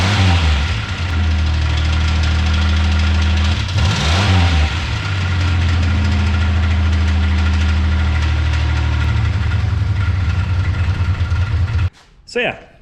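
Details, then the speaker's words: 1985 Pontiac 6000 wagon with swapped supercharged 3800 V6, idling: hard fairly even deep internal knock; started while driving normally, owner wonders if burnouts caused it; engine was later replaced. "as you can hear, it's knocking. I don't know if I made too many 11s in the street doing burnouts or what, but I was driving at normal when it happened."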